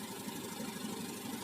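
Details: Fuel-injected motorcycle with engine running and fuel pressure reading 41 psi (about 294 kPa), normal per the service manual. Steady, even idle hum with no knocks, misses or surging.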